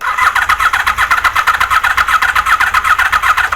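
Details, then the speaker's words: Honda VFR750 on a low battery after sitting a long time, carbs primed and enricher off: quick, even starter churn that sags toward the end and never catches. The cylinder 1 and 3 coil trigger/power wires were swapped. Crank, no start. "I switched the wires around on the coils I had number ones on number three and number three on number ones you know the trigger and the power wire for the coil"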